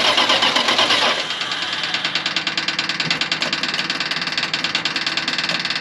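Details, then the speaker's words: 1980 Dodge truck V8 with a known rod knock, first start after sitting for years: loud, fast, uneven metallic clickity-clack knock over a ragged idle right after start; rod knock. "this thing is clickity clacking right away pretty loud"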